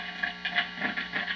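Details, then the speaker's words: Vintage Telecaster neck pickup, bench-tested into amp through a jack: irregular sharp clicks and ringing taps as the pickup is touched, beyond normal tap noise; neck pickup is microphonic, planned fix wax potting. "so this shows me that yes the neck pickup is microphonic now some of those noises are normal"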